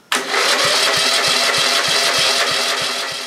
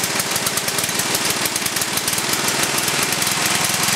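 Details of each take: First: Cold Briggs & Stratton 11 hp flathead (model 25) after a night in the 30s °F, burns oil, scored aluminum bore; carb cleaner squirted, no choke yet: starter churns with even compression pulses about three per second, cranks but won't start. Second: Briggs & Stratton 11 hp flathead single (model 25), first run after a year idle, cold start at about 60°F after a night in the 30s: rapid even popping beat that smooths as it warms, no knock or miss; runs well, burns a little.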